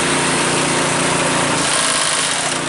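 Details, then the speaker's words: Cub Cadet 5 24 snowblower started after weak-drive repair: small engine buzzing steadily with a loose, busy rattle from rubber pellets tumbling around inside the housing. "Makes that sound"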